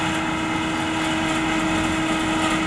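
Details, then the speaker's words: Carrier central air conditioner outdoor condenser fan motor running: steady droning hum with strong fixed tone and rough whir, no speed change; the fan motor is failing and needs replacing. "your air conditioner sounds like that then you don't need to investigate any further you need a new fan motor"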